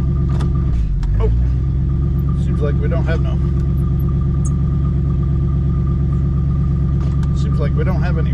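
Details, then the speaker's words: 1967 Ford Country Sedan wagon sat 30 years: steady low idle that never loads up when shifted into drive, automatic has reverse but no forward gears; owner adds transmission fluid hoping it's only low, unconfirmed. "well we'll see if this takes care of it hopefully it's just low on fluid and we don't have some other craziness going on"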